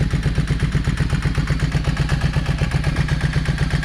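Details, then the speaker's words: Yamaha 650 V-Star motorcycle that had sat dusty, run on choke: a lopsided heavy thump about four per second with gaps. The front cylinder isn't firing and stays nearly cold; its carburetor idle jet is clogged. "See, it just ain't got nothing. [Music] Anyway, I'm fixing to go ahead. You can definitely tell that that front cylinder is not"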